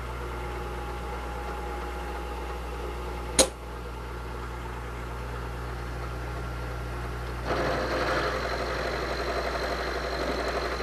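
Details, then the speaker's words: Milling machine with a dividing head milling flats, cutting fluid applied and the bed raised 0.625. Steady spindle hum, a click, then a rising even hiss as the end mill advances into the workpiece. Normal cutting. "give our cutter a little shot of cutting fluid a little bit on the part there we're going to advance the cutter into the work piece"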